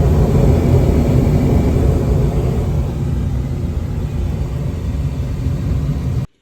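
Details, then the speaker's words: Brand new Trane rooftop gas heating unit on a restaurant no-heat call, draft inducer running: smooth, constant low whir and rumble with no arcing crackle or rattle; normal running. "All right, here comes the draft inducer. Should have spark in a minute. Here we go."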